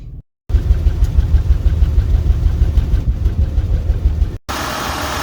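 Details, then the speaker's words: 2003 Acura TL V6 with codes P0300, P0301, P0303, P0304, P0305, P0306 and P1399 idles with an uneven puffing misfire despite brand new spark plugs; unplugging one coil changes nothing, so the owner finds that ignition coil dead and replaces it. "Brand new spark plugs, but it's still puffing and misfiring."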